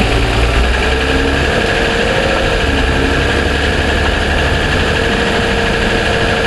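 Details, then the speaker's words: 2007 Toyota Sienna engine at cold start idle, mic inside the cabin: a light, fast tick over the engine hum; the dealer suspected piston slap and called it normal, cause unconfirmed. "okay now we have the the mic inside the cabin you can hear it it's ticking away"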